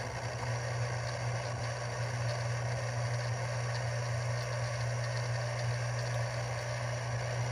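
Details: Canon EOS R5, nearly new, making a steady low mechanical buzz-grind with a rattly edge from inside the body, which started suddenly while shooting 4K 120fps video of falling snow.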